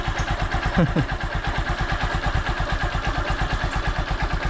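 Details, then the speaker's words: Honda Supremo after a roughly 90° clockwise adjuster turn to cure morning hard starting: started without choke or push starter, its single-cylinder thump is even and steady, with no misses or rattles. "umaandar siya kahit hindi natin ginagamit itong ch at yung push starter kita niyo naman kung gaano kondisyon itong si Raptor itong alaga ko mga"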